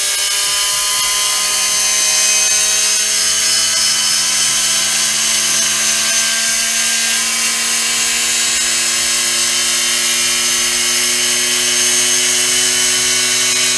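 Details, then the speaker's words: Soviet-era Peleng 1240GS gyro-stabilized binoculars, brushed gyro motor spun up at 12 V on bench supply, drawing about 10 W then settling near 4 W: steady high whine with faint buzz climbing smoothly in pitch, healthy spin-up. "So let's spin it up at 12 volts and see how fast it goes. Just checking if this works. Right, let's go. It's drawing about 10 watts right now."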